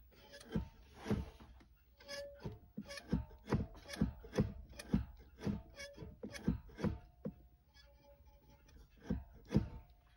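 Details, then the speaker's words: Porsche 911 Carrera S (991) after Numeric short shifter install, noticed after short drive: gritty squeaks and dull rubs only when pushing lever left from center, not right; linkage spring rubbing the casting. "okay so after a short drive um i'm beginning to notice kind of like a gritty um sound like a gritty squeaking sound almost sounds like the spring needs to be oiled or something"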